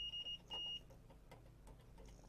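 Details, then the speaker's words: Multimeter continuity check on the power supply ground of a Goblin II Apple II clone board; clean high-pitched beeps, two short then one longer, confirming the ground line; multimeter continuity beep. "Now first what I want to do is make sure I know which is the ground wire, so I'm just going to pick the ground plane here and buzz out."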